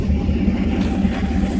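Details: 1991 Mazda B2200 with 6.0 LQ4 V8 swap, twin turbos, 80lb injectors, stock 2002 GM computer, freshly rebuilt engine, first startup with a real fuel file: deep even V8 burble, steady firing, now idles smoothly and cleanly.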